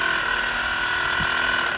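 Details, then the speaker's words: 2011 Nissan Sentra/Rogue cabin A/C blower motor, removed and run on the bench: a steady high whine with a rough, ratchety edge. The motor is stiff and dragging, which can blow the fuse. "they have a problem where the motor is very hard and if they put in the new one and it doesn't work, the first thing they have to do is check the fuse since it is probably very hard and the fuse may have burst."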